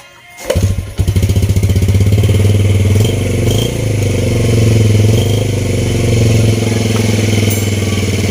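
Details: Vega R motorcycle with DC ignition, after an ignition check with the CDI installed and spark plug fitted. Kicks into life after a short crank and settles into a steady, even single-cylinder putter with no misses, running healthy.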